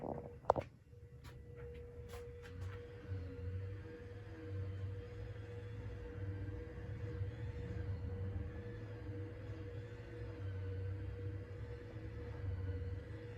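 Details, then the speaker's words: Emerson Casablanca Classic ceiling fan, cleaned, no light kit, on medium speed: faint steady motor hum and soft low whir with no clicking or wobble; original bearings still quiet, noise audible only with the blades off. "and the original bearings are still pretty quiet they're making a tiny bit of noise but for the most part they're still very quiet"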